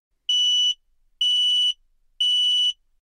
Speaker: And if carbon monoxide is leaking in your home, this is what it sounds like. Carbon monoxide alarm.